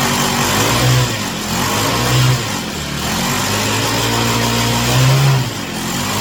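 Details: Chinese Amazon mini bike small single-cylinder engine after first start, warming up on a table: steady idle buzz rising cleanly in three short throttle blips and dropping back evenly; revs freely, healthy.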